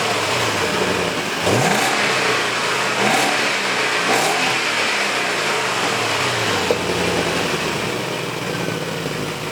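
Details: BMW E31 840ci with M62 V8 after manual transmission swap and new 2.5-inch exhaust (cats, X-pipe, resonators, muffler): smooth burbling idle, then three clean quick blips, revving freely and evenly; sounds really good, normal idle and revving.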